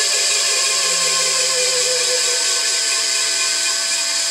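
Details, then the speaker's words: New electric motor on a 7.5 kW VFD on a glass crusher, replacing a 5 hp gas engine. Harsh, steady high whine with a gritty edge, noisier than the owner's other silent motor; dry bearings, quieter after greasing. "other inverter my other motor doesn't sound like that it's completely silent"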